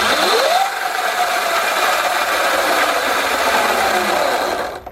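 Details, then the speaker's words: Sur Ron electric bike with Luna Cycle 219 primary chain kit: motor whine rises then holds over rough, gritty chain grinding fading as it slows; front sprocket suspected worn out despite re-shimming, not confirmed. "see he goes you hear like a kind of grinding sound yeah it doesn't sound good"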